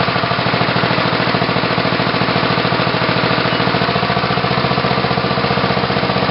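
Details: Tecumseh HH120 single-cylinder engine with newly installed GM LS2 ignition coil and modified GM PC2 crank sensor, final test run: regular, even firing at steady speed, no misfires or stumbles; running normally.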